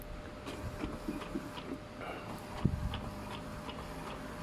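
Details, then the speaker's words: Epson L220 inkjet making a colour copy after its print head was removed, cleaned and reinstalled; soft, evenly spaced ticks and light carriage shuffles, no grinding or knocking; the machine works normally. "นี้เครื่องก็ใช้งานได้ปกตินะครับผมเป็นอ่านี่นะครับผมดูภาพนะครับผมการถ่ายเอกสารสีนะครับผมอาจจะไม่สวยนะครับ"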